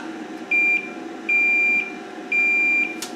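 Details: Horizontal output transistor removed from a K7500 25-inch arcade monitor chassis, tested out of circuit with a continuity meter: three solid high beeps, about half a second each, on every probe; transistor dead shorted.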